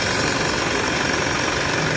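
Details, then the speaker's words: 2017 Isuzu mu-X at idle, heard at the power steering pump, steering heavy: loud steady droning metal-on-metal whine; pump is leaking/worn, steering rack has no leak; pump assembly to be replaced. "So ito yung steering pump. Yan, kung maririnig nyo, yan yung tunog nya, yung parang nagbabakal sa bakal na siya. So ibig sabihin na singaw na yung bomba nyan."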